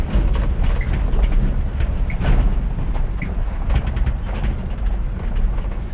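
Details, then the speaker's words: 1985 K30 CUCV after swapping out the bad 6.2 Detroit diesel: replacement engine first started and running pretty good, deep even V8 rumble with no knocks or misses. "So, we got the CUCV running and um it's running pretty good."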